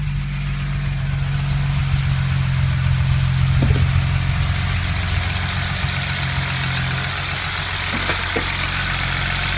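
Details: BMW M20B25 inline-six after intermediate shaft repair: smooth, even idle with a low steady hum and a couple of short throttle blips, no knocking or ticking. Normal idle.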